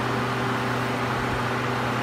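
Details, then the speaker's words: Suzuki SX4 radiator cooling fan running on low speed, commanded by the engine control module via relay as coolant temperature (simulated with a decade box) reaches about 99°C, drawing around seven amps; steady even whir, normal low-speed fan operation. "there that's the low speed mode on the fan"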